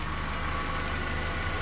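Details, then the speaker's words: 2010 Toyota Corolla after misfire repair: steady, even, smooth idle with no misfiring cylinders; rpm dropped from above 1000 to normal. "Y también si lo escuchan ya bajó las rpm estaba arriba de 1000 y algo"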